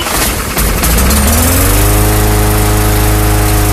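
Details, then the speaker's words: Bolens/MTD 11A-B0BL765 21-inch push mower, 2014, Briggs & Stratton 500 Series 140cc, earlier a no-start from old fuel, now after tank clean-out with fresh fuel, cold start: catches after a few pulls, then smooth, even, steady drone; runs clean. "there you go running great seems to be running fairly well with that tank clean out"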